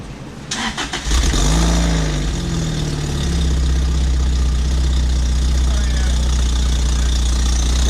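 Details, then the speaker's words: 2005 Lotus Elise with a Weapon-R header and cat delete mocked up, not bolted, no gasket, O2 sensor holes open: brief crank, then a loud, raspy idle with an open puffing chuff from the exhaust leaking at the unsealed header. "you can hear you know there's no gasket on it we have a gasket or anything on it we just throw it start it up for the heck of it"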